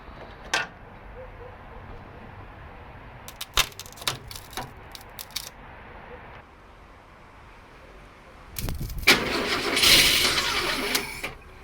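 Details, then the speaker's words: 1962 Mercury Comet being revived after decades, battery trickle-charged: several dry clicks, then the starter whirs loudly about three seconds on its own because the solenoid contacts welded shut; solenoid needs replacing. "Okay, update. The solenoid has welded itself shut into the connected position. So watch this."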